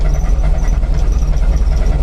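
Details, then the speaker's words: Chevy C10 truck started after sitting over a month, uneven lumpy idle with irregular dips and a high squeaky belt on top; runs badly and blows smoke, owner suspects worn rings; misfire at idle with belt squeal. "it doesn't it just doesn't run right I don't like it so I'll have to look at that"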